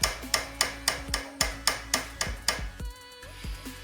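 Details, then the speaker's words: 3000 W 48 V Bomber e-bike bounced over bumps: sharp metallic clacks about four a second as the rear derailleur edge catches the top of the frame; fix is shifting up one gear. "it's doing is uh this edge of the derailleur it's just catching the top part of the frame"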